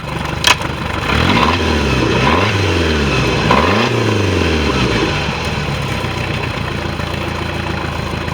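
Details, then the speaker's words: Boat engine after carburetor tune for lack of power revs up and settles into a steady, even run with no knocks or misses; water flows clear but circulation pump leaking water; normal running. "Okay. Sounds like it's running pretty good."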